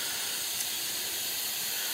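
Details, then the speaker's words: RV absorption refrigerator that had been cooling poorly for days, heard when its cooling-unit piping ruptured: a steady, high fizzing hiss with no motor or rhythm beneath it, an ammonia leak from the cooling unit. "and I heard it uh starting to kind of a fizzing sound and you can see uh can hear the ammonia there's an ammonia leak in there"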